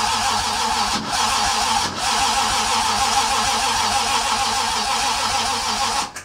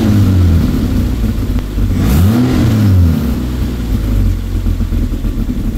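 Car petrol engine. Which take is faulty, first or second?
first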